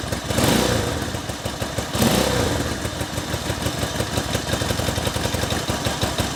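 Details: 1964 Honda CA95 Benly 150 twin at its first start after 30 years off the road, with a new throttle cable and a flushed tank: two quick throttle blips, then a steady, even idle with a regular exhaust pulse and no misfire. Normal idle.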